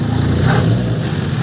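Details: 1989-94 Mazda BG 323 petrol four-cylinder after a twin Weber 32/36 DGEV carburettor upgrade and new hoses, not yet tuned: idles a touch low, then two quick throttle blips rise and fall cleanly with no misfire or knock.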